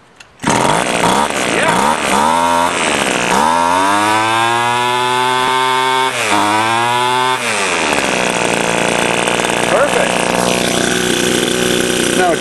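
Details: Stihl weedeater small two-stroke after carburetor repair (inlet lever and needle fixed), primed by blowing into the fuel hole: fires right up, revs smoothly up and down and holds a steady high idle; runs healthy.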